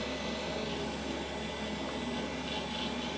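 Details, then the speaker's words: Beige vintage AOpen PC on first power-on: a steady, loud rushing whoosh with a faint wavering hum and no speed change. The owner wonders whether a fan is dying. "oh it is loud though i don't know if a fan is dying or what but hopefully you all can hear that"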